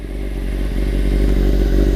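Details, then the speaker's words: 1995 Honda CBR600F3 after full restoration, still warming up before its first test ride: busy, even low four-cylinder rumble, steady beat with no knocks or misses, noisy like a race bike; normal warm-up idle. "as you guys can hear still warming up a little bit she is definitely a noisy bike um sounds like it's a race bike for sure"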